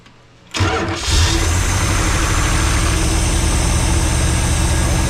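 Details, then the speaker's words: Junk engine with two-barrel carb and newly fitted starter, first start: catches after a brief crank, then a heavy, uneven, loping idle with deep rumble; flooding out and running rich, owner thinks it sounds cammed; cause unconfirmed. "That looks good. Now she's flooding out. Yeah, that's what I'm talking about."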